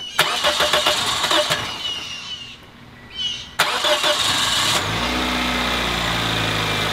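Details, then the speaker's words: Car whose spark plugs showed oil burning in all four cylinders, cold start after new plugs. Several seconds of cranking, then a rough cold idle with light rapid clacking; internal engine wear. "what stocks are better than it did but you can hear the engine clacking [Applause] it shows it's worn internally"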